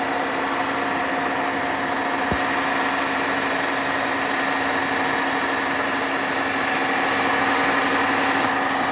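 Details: Hotpoint washing machine: steady harsh rumble with hum and coarse grating texture as drum turns; loud grinding noise, cause unknown.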